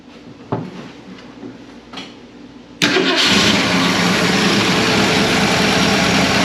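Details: 1965 Ford Ranchero after new cam, lifters and timing chain to cure a valvetrain tick, first start after priming oil: brief quiet clatter, then catches and settles to smooth steady fast run, no knocking; healthy.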